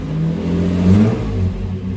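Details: Nissan Patrol GQ with RB30 six, just resurrected after rewiring, new power steering pump, radiator and fuel pump relay: a short, clean throttle blip rises and falls smoothly without coughing or missing. Runs healthy.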